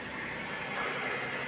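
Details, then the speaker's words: Suzuki minivan with D63 engine, earlier misfiring on cylinder 2 with a check-engine light. After adjusting valve clearance and refitting the head cover gasket, the idle is smooth and even with no missing beats, and the check-engine light is off. "at siguro ay okay na yung andar nito at hindi na mamamatay at hindi na palyado."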